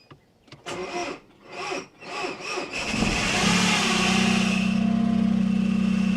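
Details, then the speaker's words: Non-starting car with a crankshaft sensor loss-of-synchronization fault and a stiff clutch pedal, clicking from the gearbox: uneven cranking, then a loud, rough, droning start; it goes into gear but won't move, and the clutch is blamed. "Oh, that sounds horrible. Oh, so it does start."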